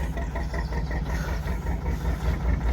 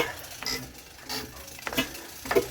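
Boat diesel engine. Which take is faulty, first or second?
second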